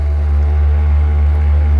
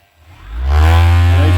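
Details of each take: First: Avhrit 6-inch cordless buffer polisher on the high setting, polishing the paint of a 1970 Torino: a steady low motor hum that sags in pitch once the pad is loaded, RPM dropping about in half; it lacks power and suits hobby use. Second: Avhrit 6-inch cordless buffer polisher on the high setting, unloaded: spins up within a second to a steady, smooth high-pitched whir and holds it evenly, seeming to turn plenty of RPM; normal free-running at high speed.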